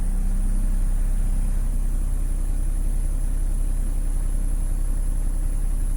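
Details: Tata BS6 diesel after new accelerator pedal fitted (fault codes 1242, 428), steady even idle with low thrum around 160 beats a minute, no knocks or misses; normal idle.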